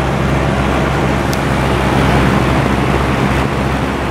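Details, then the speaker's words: 12-inch Penncrest two-speed box fan, 1.4 A General Electric four-pole shaded-pole motor on low, about 0.79 A and 66 W: steady low hum, smooth air rush, no wobble, less shaking than high; runs normally. "doesn't seem to shake as much on low but it sure moves a lot of air that's pretty crazy how much air that little fan moves"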